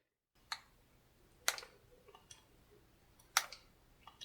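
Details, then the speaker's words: Samsung Galaxy Z Flip 6, about eight months old, hinge/screen heard as the phone folds open in a quiet room; scattered sharp crackles and clicks, sometimes worse, especially after sitting overnight; cause unclear. "as you can hear there is quite a bit of crackling noise which sometimes is worse sometimes isn't that bad"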